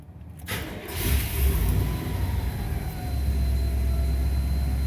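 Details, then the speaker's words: 1991 Chevrolet K3500 4x4 dually with 7.4 454 V8, after tune-up including a new distributor, already warm from an earlier drive; brief crank then it catches at once into a steady even idle with good oil pressure; normal start. "starts right up by good oil pressure the temperature i was just after a drive earlier the temperature's coming up that's good to see"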